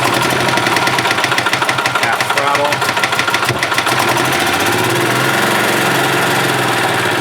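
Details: 1991 Yamaha G8 gas golf cart engine after carburetor cleaned of junk and worn-out fuel pump replaced, mixture screw being adjusted; single-cylinder putter with even beats settling into a smoother, steadier note partway through: carburetted engine idling properly, working as it should.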